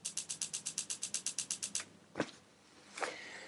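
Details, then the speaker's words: Moda gas fire pit igniter with an AAA battery fitted, tested before glass is added and with no gas supplied: crisp, rapid ticking of about seven clicks a second for two seconds, then stopping; normal igniter sparking. "You should hear that faint ticking sound of the igniter on the gas end trying to ignite."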